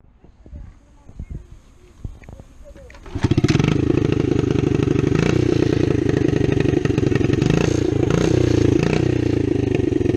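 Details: 1972 Honda SL70 small single-cylinder motorcycle project, started up: a few handling clicks, then it catches and settles into a fast, even putter with no knocks or misses; normal idle, runs fine.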